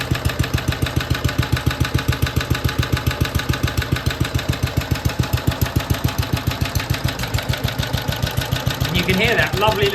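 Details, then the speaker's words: BSA/Villiers 119cc Sloper two-stroke with centrifugal clutch, after carburettor/engine service: it pops along evenly at about three and a half beats per second with a soft crankcase-breather puff and heavy flywheel; normal, healthy idle. "There's not many engines that have that sort of rather nice sound to it. That lovely heavy flywheel."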